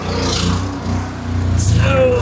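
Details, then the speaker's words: Tanker offload pump cranked up, tank nearly empty: engine note swells and sags unevenly over a couple of seconds instead of holding steady; pump surging as the tank runs near empty. "Okay. Do you hear how it's surging?"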